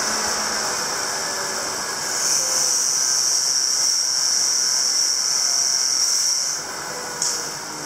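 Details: CycleOps Supermagneto Pro trainer in resistance mode 2 (Road): steady whir with a harsh, high-pitched grinding scrape that swells in for several seconds then fades, recurring intermittently.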